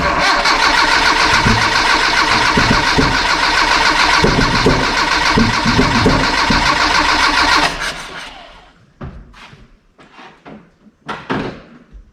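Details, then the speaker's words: Dodge D50 with Mitsubishi G63B engine, header and Weber-type carb, first startup after auction: catches but stumbles with lumpy firing and loud irregular thumps, then dies; timing suspected, then firing order found incorrect and corrected. "so well it sounds to me like they have the timing set wrong so we're going to check the base time and make sure we're at tdc and try again all right so i think i got the firing order sorted out"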